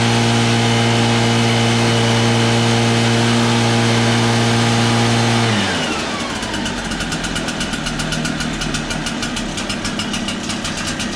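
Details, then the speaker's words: EV802 backpack blower that was lacking power, run after removing the engine and scraping carbon from the cylinder and exhaust port: strong steady two-stroke drone dropping off cleanly to a smooth idle; now runs strong after carbon cleaning. "as you can hear it runs pretty strong now after cleaning out the carbon"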